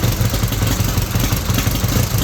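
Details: 1931 Excelsior Henderson KJ four-cylinder motorcycle, first start in over 50 years: low steady putter with even firing rhythm, no knocks or rattles. Settled, healthy idle.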